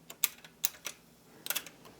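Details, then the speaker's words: 1990s Yamaha KX-W262 double cassette deck, deck B, previously eating tapes: a few crisp light clicks as the transport engages play, no grinding or slipping; now works, owner suspects a loose connector. "see that now it's doing its job I do not know why that's working now I'll take it I will take it because I don't really plan on using deck B anyways it seems to be working just fine now"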